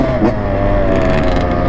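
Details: Freshly rebuilt two-stroke "85" dirt bike: crisp, even two-stroke buzz holding a clean pitch with no rattles or misfires; normal healthy running.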